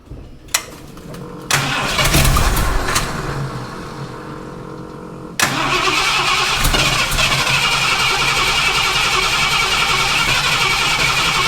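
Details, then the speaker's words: Ford F250 with 460 V8 fitted with a new Holley Street Avenger 670 CFM carburetor: cranks, catches and settles into a fast steady run that never drops to normal idle; idle too high, owner suspects a vacuum leak despite plugging everything. "okay so we need to figure out why we're running so high it definitely sounds like we've got a vacuum leak although we shouldn't I'm certain that I plugged everything"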